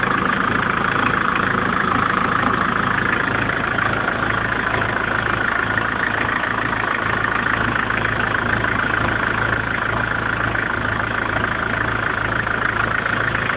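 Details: 1994 BMW 318 TDS diesel at idle; steady idle with even, regular clatter about two beats a second underneath; engine noise present, cause unclear.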